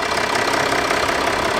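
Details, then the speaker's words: 2014 Range Rover Sport 3.0 turbodiesel, automatic, AWD, 82,000 km, after fuel filter replacement (MAHLE KL-1044): steady, even diesel idle clatter with no stumbles, hunting or misses; all dry, no air in fuel system, healthy. "все нормально все сухо все хорошо двигатель работает система Не завоздушена"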